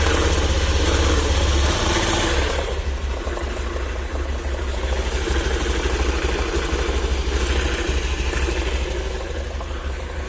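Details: Honda Activa scooter idling with an uneven low rattling pulse of about three beats a second over the engine note; abnormal clutch-area noise, owner unsure of the cause.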